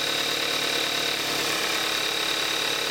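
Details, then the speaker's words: Cold start of 2014 Kia Forte5 2.0 GDI, 41,000 miles, synthetic Amsoil 5W-30, recorded on camcorder's built-in mic: steady even cold idle with light fast direct-injection injector ticking on top; normal, healthy engine. "This is going to be the cold start of a 2014 Kia Forte5 2.0 GDI with 5W-30 synthetic oil and 41,000 miles on the engine."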